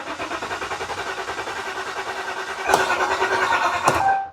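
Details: 2015 Ram 1500 EcoDiesel (deleted) with a crank-no-start after a 1,000 km trip; the dealer had already replaced the high-pressure fuel pump. The starter cranks steadily for about four seconds outdoors, but the engine never catches.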